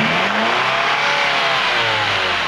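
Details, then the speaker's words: 2010 Ford Escape petrol engine revved in a workshop runs rough and uneven because one cylinder is not firing, with the check engine light on; owner reports no loss of power. "oke bisa kita lihat ya di depan di bagian enginnya ini agak sedikit kurang enak suaranya ya gak merdu seperti mesin-mesin yang normal gu karena ini ada satu silinder yang tidak bekerja"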